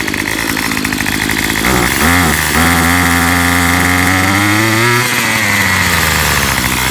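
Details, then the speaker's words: Makita 2500 leaf blower, about five years old, fresh fuel after six months unused, on its first spring start, which was the hardest of the machines to start. It buzzes unevenly with wandering pitch at idle; it seems to need adjustment and has never been adjusted. "ah okay that was the hardest one to start does need some adjustment it sounds like"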